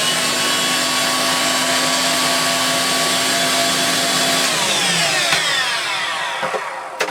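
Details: Refurbished Electrolux Twin Turbo Z522 vacuum after refurbishment: steady high even-pitched whine for about four seconds, then a smooth wind-down when switched off; healthy motor.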